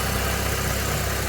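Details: 1997 Vauxhall Astra F Mk3 petrol, during a timing belt change: steady, even low hum with no ticks, stumbles or hunting; the engine is settled at a healthy idle.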